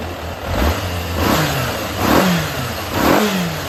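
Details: Yamaha XJR400 (RH02J) engine assembly H501E, sold as running with no abnormal noise or white smoke, compression measured: crisp throttle blips about once a second with no knocks or rattles. Normal running.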